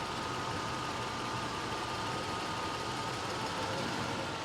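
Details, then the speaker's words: 1987 Mercedes-Benz 560SL (R107), 93k miles, microphone on left and right cylinder banks: smooth, even idle with soft steady hum, no tapping or ticking and no bank difference; valvetrain healthy, no valve job needed. "And there's no loud valve noise or tapity noise suggesting it the car needs a valve job."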